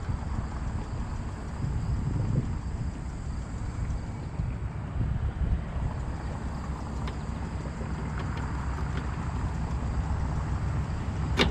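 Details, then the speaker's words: Trane rooftop unit blower after belt replacement, test pins jumped: smooth even low hum with no squeal or slap under light wind; belt sounds much better; running to check the transformer's 3 amp fuse no longer trips. "on baby yeah belt sounds a lot better there we go"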